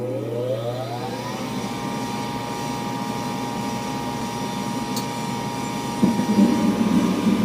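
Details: Gas furnace draft inducer motor cycling on at startup: rising howl settling into a loud steady whine, from a bad inducer motor bearing; loud enough to wake the owner at night; motor replaced.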